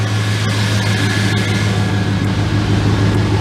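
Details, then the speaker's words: Car R-134a AC after recharge, engine running on a cool day: loud steady low hum with no on-off cycling, vents blowing very cold; normal AC compressor operation. "hell yeah it's blowing out ice cubes and it's not cycling the floor is gone dude"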